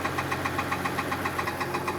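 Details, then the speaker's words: 2015 Mercedes-Benz S65 AMG, rebuilt engine: sharp, even knocks about seven per second when revved, quiet at idle; starter motor touching the engine, noise gone after loosening its bolts, starter to be modified. "Here we go. Gone. And just like that, that noise is gone. So it looks like it's a starter motor that's touching."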